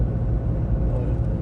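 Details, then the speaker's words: Renault Scenic 1.5 dCi after injector nos. 3 and 4 refresh, highway cruise around the speed limit in 5th gear, at operating temperature, A/C on, about 2 L consumption: steady even drone free of knocks or rattles; running smoothly. "We are already at operating temperature. Current consumption with gear 5 is around 2 liters AC on. I don't hear any noises"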